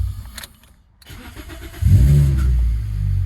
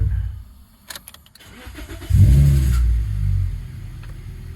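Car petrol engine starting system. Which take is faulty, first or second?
first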